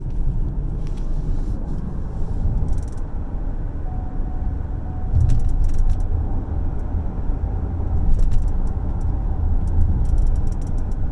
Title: Rattling noise from rear seat